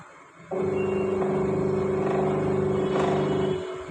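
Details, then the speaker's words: Panasonic Active Foam 8 kg washing machine, gearbox replaced about 10 days earlier: steady mid-pitched hum with rough drone underneath throughout run. Noise persists after gearbox swap; motor also faulty. "आवाज़ आ रहा है, motor का आवाज़ आ रहा है। Gear box तो हमने replace कर दिया है, इसमें मोटर भी ख़राब है।"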